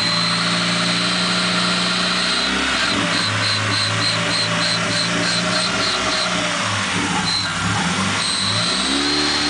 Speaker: Okay, we have a slight problem. Car makes a squeaking sound when you touch the throttle.